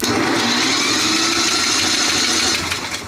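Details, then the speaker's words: Yard Machines snowblower 8 hp Tecumseh, electric start, plug out, gears greased; starter whirs at high strained pitch, labouring and uneven; engine turning over stiff, cause unconfirmed. "yeah see you should have heard it it was definitely stiff"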